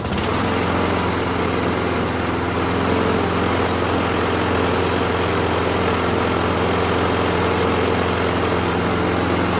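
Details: Lawn mower after cleaning a carburetor whose stuck float stopped fuel flowing from the tank, and cleaning the old air filter: loud, steady buzz at constant speed with no surging, hunting or stalling; normal running.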